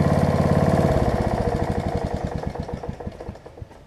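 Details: Snapper rear-engine rider after carb cleaning, throttle cable repair and new deck belt replacing a stretched, cracked one; single-cylinder thumping idled down from a fast beat to a slow, even idle of a few pops per second; healthy.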